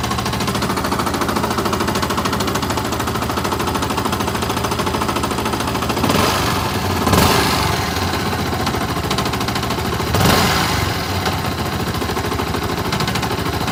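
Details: Yamaha R15 running: fast, constant tapping knock over the exhaust note; owner suspects connecting rod, decompression or timing chain, source unconfirmed; engine knocking noise.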